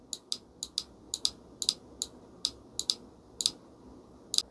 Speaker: If you want to make sure that the shift solenoid is actually working, you can always energize it by giving it 12 volt.